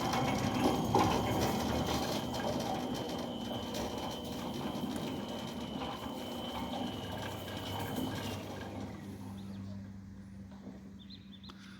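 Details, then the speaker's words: Newly installed Centurion D5 Evo Smart sliding gate motor, mounted upright and level, driving the Razz Rack via the pinion gear; a steady light drone with soft gear rattle, no vibration or labouring, fading as it stops; running normally. "You can see it's not vibrating. It's not laboring, you can listen to it."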